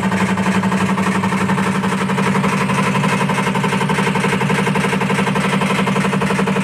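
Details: IFB top-load washing machine: steady low hum with a fast, even rattle about four times a second; loud repetitive rattling noise, cause not pinned down.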